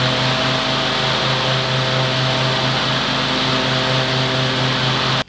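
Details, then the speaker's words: Riding mower with a Briggs & Stratton 23 hp engine, started after replacing the coils: runs steady and even with a smooth hum and no skips, misfire and rough idle gone. "Just want to start it up and see what it sounds like versus before. Make sure the misfire is gone. Test, see what she sounds like."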